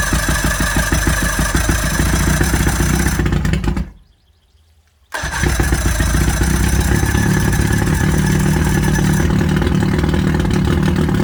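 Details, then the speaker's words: 1979 Johnson 90 hp Seahorse V4 outboard on water muffs, 50:1 premix, throttle pulled out of gear: cranks, drops out briefly, catches into steady buzzing fast idle; telltale plugged. Normal running. "now it runs good"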